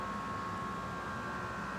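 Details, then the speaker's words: Air Lift WirelessAIR air bag compressor newly installed on 2025 Ram 3500, filling both bags simultaneously via app: quiet even whir with steady high tone over low hum, no rattles or stalls; compressor running normally. "And as you can hear, it is working properly."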